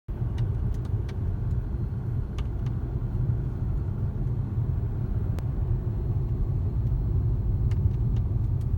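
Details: Jaguar XJ X351 while driving: sharp, irregular little pops and clicks from the roof over a steady low cabin rumble.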